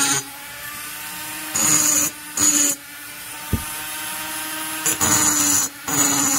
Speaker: and you guys hear it's a little more tinny sounding i'm getting into the [Music] plating